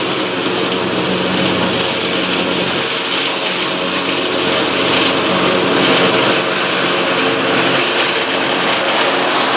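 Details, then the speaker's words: Cub Cadet Ultima ZT2 zero-turn mower with 60-in deck, final test on the grass after multiple repairs including fuel pump and carburetor: even, steady drone at constant speed, no knocks, misses or surging; normal running. "It's probably kind of a long one because I I uh I had a lot of issues to work through on this cup kit at zeroturn, but as you just saw, it's running great. It sounds great."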